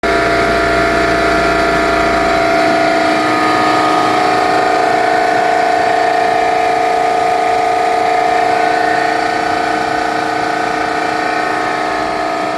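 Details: Eastwood QST-30/60 scroll air compressor running: loud steady drone with a constant mid-pitched tone, no clear knock; owner suspects a bad bearing, unconfirmed.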